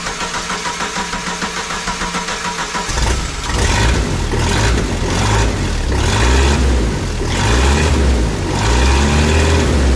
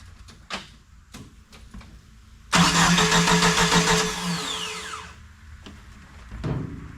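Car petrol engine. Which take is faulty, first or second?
second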